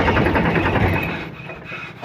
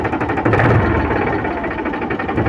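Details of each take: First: Diesel note sags and drops within seconds as a Powertrac 42 Plus (44 hp range) tractor engine labours on start; hydraulic lift rises by itself and stays stuck, loading the engine as if under hard work. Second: Powertrac 42 Plus tractor (44 hp range) diesel idling while the hydraulic lift rises and lowers: steady even chug with no labouring or dips; engine running healthy.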